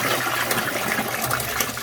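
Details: Frigidaire GLWS1749AS5 top-load washer after repairing squeaking upper transmission bearing with an O-ring quick fix: steady even hiss and splash of water into the tub; fill valve working normally, normal water fill.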